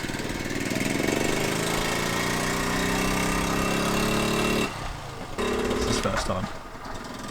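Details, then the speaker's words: 1978 Honda Z50A single on test ride before rebuild: buzzes up through the revs with a rough knocky edge under the exhaust; owner blames old worn engine with no compression, cause unconfirmed, engine knock. "It sounds a little bit knocky. So, watching this back, goddamn does it sound bad. When you're riding it, you can't hear that knock, but it really doesn't sound good."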